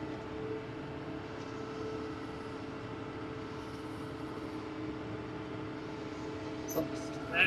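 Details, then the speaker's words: Tractor driving a six-foot Bush Hog 286 rotary cutter, cutting after rebuilding the slipper clutch lining rings and adjusting 10 flats: steady drone with even tones, no surging or dropouts; clutch no longer slipping, no unusual vibrations. "All righty. Uh, it looks like it's, uh, working like it should. No unusual vibrations. It hasn't stopped again."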